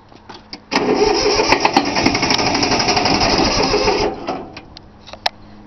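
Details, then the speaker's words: 3-cylinder Yanmar diesel cold start after glow plugs: steady cranking about four beats a second for three seconds, no firing; air in the fuel lines, which were not bled, usually starts right up. "Alright, guess a little bit more glow plug. She ain't wanting to start. Just getting a little bit closer."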